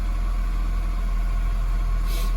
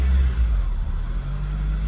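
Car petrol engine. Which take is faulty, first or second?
second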